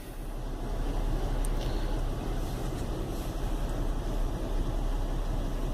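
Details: Chevy Venture warmed up about four to five minutes on a cool day, no check-engine light: low, uneven rumble at idle with a loose pulsing beat, not running smooth; rough idle caused by a failed hydraulic motor mount, with no thunk when shifted into gear.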